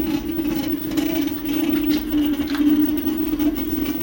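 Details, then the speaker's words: TeeWing Mars XTR electric scooter in dual-motor mode on cruise: constant jittery droning buzz through the frame from the front hub motor, which also lurches the scooter and loses power; caused by poor motor grounding; hub motor electrical noise. "accelerate and it's constantly that's electronic noise inside the engine full press and now it's on cruise and while it's on"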